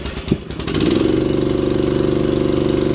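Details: Manlift engine with electric choke, cold start at 41°F after replacing the faulty stop switch: catches after a short crank and settles into an even, steady beat of about 160 pulses a minute; starts and runs fine.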